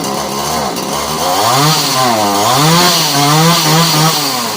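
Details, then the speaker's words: Alpina/Alko Champion 38 cc two-stroke chainsaw after carb cleaning, broken tank fuel pipes replaced, high and low screws set 1 1/4 turns out, started on choke: buzzes and revs smoothly on throttle blips, picking up cleanly; healthy. "That sounds alright. There we go. Alright, so back and running again, which is great because it's a really nice saw to use."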